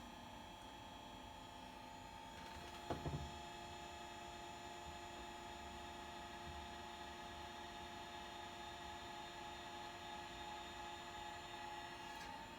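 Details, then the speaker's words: Chinese diesel air heater installed in an aluminum boat, running: quiet steady mild hum with faint high tones, no knocking or rattling; normal smooth operation. "should be able to hear it running now and it is not very loud at all there's just a mild hum in the background as you can probably hear right now"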